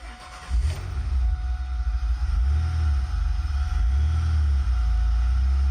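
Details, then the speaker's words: GM car (e.g. Buick/Chevy 1999-2005) first start after MAF sensor replacement for start-then-die problem; slightly rough first second, then steady, even low rumble at idle as it relearns, running smoothly. "okay so that's not too bad it was a little bit rough at the very beginning there but it's evened itself itself out already it's already running smoothly"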